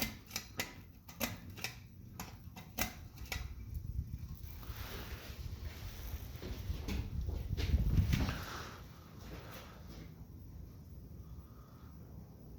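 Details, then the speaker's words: 42-inch Emerson 1895 Series (Sears Roebuck) ceiling fan bumped from low to medium: irregular clicks and rattles about three a second over low motor hum as it speeds up; owner suspects loose motor or blade bracket screws. "is picking up speed and it does make a rattle noise I don't know where it's coming from either coming from the screws to the motor"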